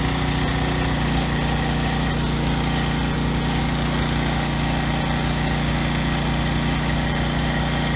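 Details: Briggs and Stratton generator engine running with no load after carburetor cleaning, governor tab bent to raise rpm toward 61 Hz; deep, steady, even thrum with no stutter or hunting. The earlier no-load stutter is resolved, normal running.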